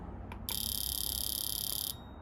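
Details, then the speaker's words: Honda Civic Type R FN2 fuel injector, removed and bench-tested on battery with a pulse tester in mode 2: rapid, even buzzing clicks about 28 per second for a second and a half; injector opening and closing normally. "So when I push pulse, it'll then go through mode 2, which is just a series of pulses, and hopefully you can hear that on the camera as well."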